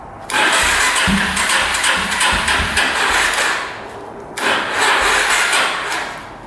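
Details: 2005 Yamaha TTR250 after a carburetor float needle that was too long and blocked fuel was replaced: the engine catches on the first try and settles into a lumpy, rising run with a couple of throttle blips, starting normally.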